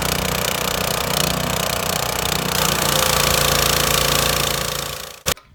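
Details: Lidl Parkside PHDB 4 C3 petrol four-stroke 180-bar pressure washer, water connected, oil added: fast, even drone with no misses or knocks, then cuts off cleanly; runs healthy.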